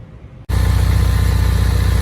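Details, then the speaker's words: 2015 Ford Mustang 2.3L EcoBoost at idle, oil drained: steady, regular low knock repeating under the exhaust note, like a rod knock or a chicken in the top of the engine; owner suspects rockers/lifters or a rod bearing, unconfirmed. "it sounds like a knocking like a rod knock or a chicken in the top of the engine"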